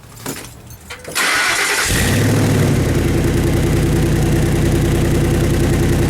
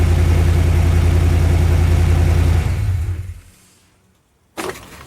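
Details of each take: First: Truck with MagnaFlow dual side-exit exhaust: cranks and catches, then loud, raw, throbbing near-unmuffled idle; cracked joint at the muffler leaking exhaust, heard near the headers, before repair with an exhaust clamp. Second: Truck with MagnaFlow side-exit dual exhaust, after exhaust leak repair with a clamp: steady, even low idle rumble with no ticking or puffing from the pipes, then clean shutdown; exhaust sealed, normal idle.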